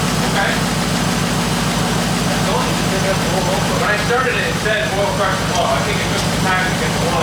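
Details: Turbo Honda Accord at first start-up after sitting: a steady idle with a regular low heavy thump over the lifter noise. The owner feared rod knock but thinks the headers pulled the exhaust pipe against the frame.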